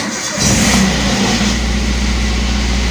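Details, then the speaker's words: Used car engine start during an inspection: the starter turns briefly, then the engine catches straight away, showing the battery is good. No warning lights stay on, and it settles into a steady, even idle: normal start. "Oke ketika kita Nyalakan e starter langsung jereng ya Itu tandanya akinya masih bagus"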